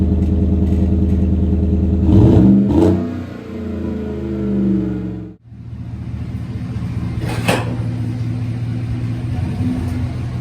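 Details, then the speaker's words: 2018 Chevrolet Silverado 1500, 5.3L with 6L80E transmission, after replacing broken torque converter with billet Circle D unit, bigger transmission cooler, thermostat bypass, new cooler lines, fresh fluids: engine revs and pulls smoothly, no shudder, slip or clunk; shifts and throttle crisper; normal running. "The truck runs and drives great. Because of the fluid being dirty or the torque converter being on its way out, the shifts and the throttle response even seem like they're a lot crisper."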